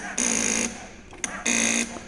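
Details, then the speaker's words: Yamaha XSR900 pressing starter: two short bursts of harsh high buzzing from the starter relay chattering. "es el relé de arranque ahora os explico Cuál es el motivo para el ruido procede de este de este relé que es el relé de arranque"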